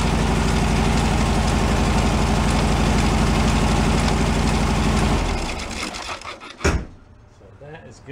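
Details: 1978 VW Super Beetle, long stored, cylinders shorted one by one with a test light. Heavy, lumpy idle at about four pulses a second that dies off around five seconds; suspected running on only two or three cylinders.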